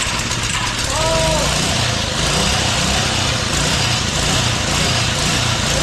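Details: Doodle Bug small single-cylinder engine after a spark issue was chased and an E3 plug replaced with an NGK: it catches and settles into a steady buzzing run, picking up briefly with a little throttle; it runs healthy.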